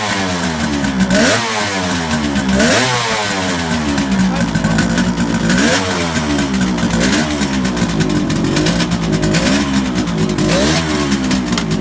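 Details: 1971 Kawasaki H1 500 two-stroke triple after fixing faulty spark plug cap and loose wire at distributor cap: crisp revving, settling back cleanly, firing evenly with no misfire; sounds healthy.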